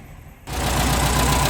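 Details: After a quick catch, the air-cooled VW Type 4 engine (fresh valve guide work; previously burned a quart per 200 miles) settles into a steady, even low idle with no ticking or valvetrain clatter; running fine.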